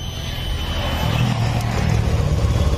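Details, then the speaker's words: Honda Beat Pop scooter with a suspected faulty TPS (no power at full throttle): idle is a steady, even low putter, no stumbling or misfire; normal idle. "normal langsamnya normal"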